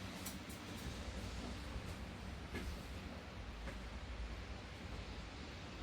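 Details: Volvo idling after new upstream oxygen sensors were fitted, no check engine light and bank 1 and bank 2 sensor 1 reading current: low, steady rumble with no knocks, misses or hunting; engine healthy.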